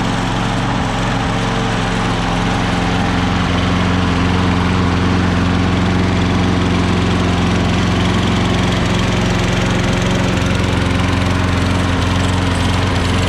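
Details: Craftsman electric-start self-propelled lawn mower, previously would not start or stay running: even low drone with steady firing rhythm, no sputter or dying out; mower starts and keeps running fine.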